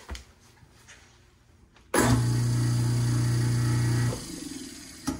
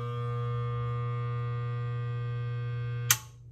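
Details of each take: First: Garbage disposal that wasn't spinning/humming after years unused, repaired and reinstalled: clean steady low hum about two seconds then smooth spin-down, no leaks; normal running. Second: Garbage disposal unused for years, run after resetting its tripped built-in breaker. The motor cannot turn and hums steadily for a few seconds, then the built-in breaker trips again with a snap: a seized, stalled motor.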